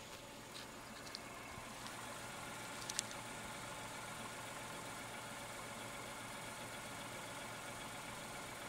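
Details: Tata Altroz petrol engine at about 5,500 km, idling quietly and evenly with a soft steady hum and no knocks or ticks; sounds smooth and refined.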